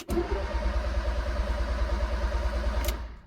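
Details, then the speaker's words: Fiat Punto GT Turbo project, cranked with a dash code light on: the starter churns at about three beats a second but never fires. No fuel pump runs at ignition-on, even after the ECU was removed and its connections cleaned. Crank, no start. "nothing at all when you turn the ignition on no fuel pump running"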